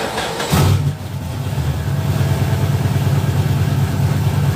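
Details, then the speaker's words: Car started after repairing ignition coil connector and installing MSD 2-step box: cranks, catches quickly and settles into steady, even low idle with no misses or knocks; normal idle, heard with the hood closed. "And that's how she sounds closed up."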